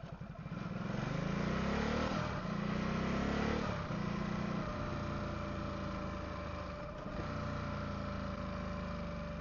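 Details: Ducati SuperSport 939: thin steady whine while rolling in gear with clutch engaged, gone when clutch pulled; appeared 2-3 weeks ago, vanished briefly after oil top-up then returned; owner read a dry clutch seal ring can cause it. Cause not confirmed.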